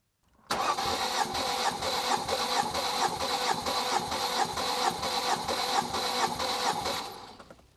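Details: Ford Mondeo Mk3 with misfire on cylinders 1 and 4, fuel pump fuse pulled, coil pack unpowered, plugs removed: the starter spins the engine at about two beats a second without firing, slightly uneven, during a compression test. Cylinder 1 reads 130–140 PSI against 240 on cylinders 2 and 3.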